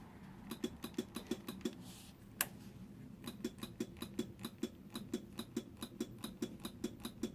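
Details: Honda NSR that starts first time with a bump but not on the button, rectifier already replaced: sharp, even clicks about four a second with no cranking or firing; electric start failure, cause unknown.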